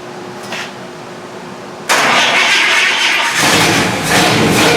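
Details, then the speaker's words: 1955 Buick after distributor gear replacement, static timed at 5 degrees, dirty points cleaned and reset, hot-wired via ballast resistor: brief cranking, catches at once and settles into a steady even idle with a light blip; ignition firing cleanly. "That's good enough for me. Got it warmed up a little bit."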